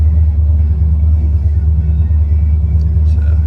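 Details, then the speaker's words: ZZ 502 carbureted V8 in a low-mile original 1970s El Camino just after starting: a deep, steady rumble of about two beats per second on the fast choke idle as it comes off the choke. Healthy and normal. "attack now. It's coming off the choke now."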